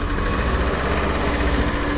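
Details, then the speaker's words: 1989 BMW E30 M3 with a suspected misfire, being revved: low, uneven idle with a faint buzzy metallic rattle from the catalytic converter, suggesting loose internals. "That rattling cat's scaring me,"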